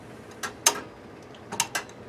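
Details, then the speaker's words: Well pump pressure switch (set to cut in at 30 psi and out at 50) that failed to kick on at 15 psi, engaged manually by its side lever: sharp dry clicks as the contacts snap closed to energize the pump. "It goes up to 30. You can hear it click up in here, right? So that gets energized. It hits the pump."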